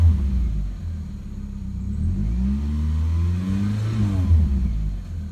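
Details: 2000 Mitsubishi Eclipse GTS 2.4L four-cylinder quick start-up: loud, raspy low rumble as it revs up and settles, from an exhaust leak.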